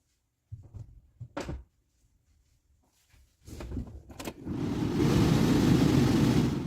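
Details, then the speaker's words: New blower motor from a 2000–2006 NM/NP Pajero fitted to a 2001 TJ Mitsubishi Magna, replacing a worn, weak unit, tested on the terminals: a few handling clunks, then a quiet, smooth, steady air rush with no ticking or rubbing. Normal. "we have airflow coming from a quiet brand new fan blower motor"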